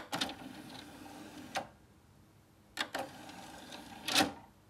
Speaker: Очень шумно. Очень шумно. А вот когда мы еще дадим ему CD, слушайте, какой звук дальше. Довольно-таки он шумный, то есть довольно-таки шумно работает сам привод.